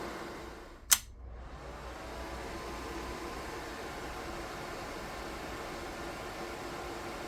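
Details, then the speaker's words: DIY 3D-printed soldering smoke absorber with 12 V 120x25 mm fan (rated max 44.4 dB) and PWM speed regulator, run at maximum power: switch click then steady even whoosh of air, no rattle or wobble; normal fan noise. "чим потужніший вентилятор Тим більш він гучний регулятор допомагає знайти баланс між потужністю та рівнем шуму"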